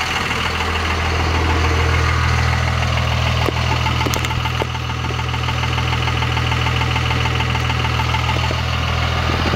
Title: Weird noise?